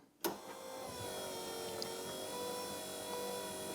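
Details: Third-gen Camaro IROC rear hatch pull-down motor after replacing the broken motor and slides and fixing loose wires: a click, then a quiet, steady small-motor hum at one even pitch without catching; latch engages, normal motor operation.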